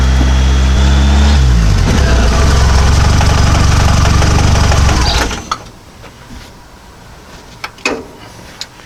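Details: Model A hot rod coupe with Duraspark ignition, after replacing a blown 30 A coil fuse. Even brief cranking, then it catches and runs smoothly before shutoff: a normal start and idle. The owner is unsure whether the failure was a fluke or a failing coil.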